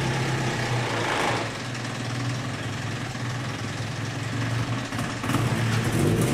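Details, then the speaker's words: 1972 Datsun 510 with turbo KA24DET swap, after fitting aftermarket stainless exhaust manifold gaskets: steady turbo four idle with firm low beat and a light blip, no ticking or puffing; exhaust leak fixed, sealed under the hood. "all right it seems like those gaskets fixed the problem it's actually sealed up under the hood now I don't hear any obvious exhaust leaks"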